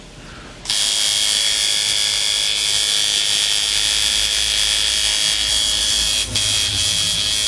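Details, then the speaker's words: Tattoo machine shader tuned by the nickel-and-dime method (nickel gap for the shader): fast, steady, even buzz with a crisp high edge and no stutter, sounds nice, hitting like a jackhammer. "Um, oh yeah. Hell yeah. It does sound nice."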